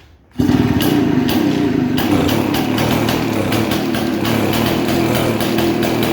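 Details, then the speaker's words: 1947 six-foot two-stroke chainsaw unrun 40+ years; raspy, uneven run with stumbles and surges, struggling to keep firing; fouled spark plug sparked onto insulator under compression, so it wouldn't stay running; new plug fitted. "so the reason why it wasn't going to stay running is because the spark plug was it was fouled and so it might have spark not under pressure but under pressure it doesn't allow the spark to spark between the um the electrode and the tip"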